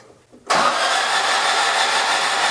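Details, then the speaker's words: Stock 1600 dual-port VW air-cooled engine newly turbocharged, first start attempt; harsh steady cranking over two seconds without catching; ignition showing 18–20° at cranking instead of about 10°, too much timing suspected, not confirmed. "Why is it trying to start at 20? Shouldn't it be trying to start at somewhere around 10?"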